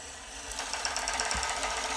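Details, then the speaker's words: Custom RC tower crane hoist motor lifting sand-filled steel counterweights: fast even clicking over a high motor whine under load, present with any weight; cause unclear, owner suspects it relates to the sensored motor firing and low 30/5% forward/reverse setting. "wow wow okay we notice it's clicking a little bit we can hear the motor clicking is there any reason why honestly i don't know it's done that the whole time"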